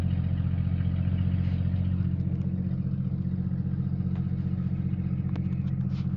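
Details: Jeep Cherokee XJ 4.0 High Output at idle: deep steady rumble with light clatter about two and a half times a second; noise traced to the torque converter, not the engine.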